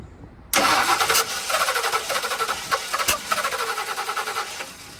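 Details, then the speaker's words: 1966 Ford Fairlane cranking and stumbling with sharp pops back out the carburetor; ignition timing blamed; popping back through carburetor on cranking. "Why is it popping back? I have never seen anything like that, bro."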